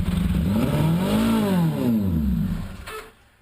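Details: 1981 Honda GoldWing with test-fit custom manifold, gas poured in: catches and revs up, then falls back and dies within about three seconds; fires on the poured fuel.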